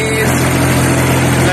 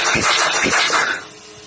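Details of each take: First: Skid steer diesel hydrolocked with oil after being flipped over, oil cleared from cylinders with injectors out, then started: fires and holds steady, even idle with no knocking or stumbling; normal running, rods apparently not bent. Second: Skid steer diesel hydrolocked after the machine was flipped over, oil in the cylinders: fast even cranking with all injectors removed, no firing and no compression catch, clearing oil from the cylinders.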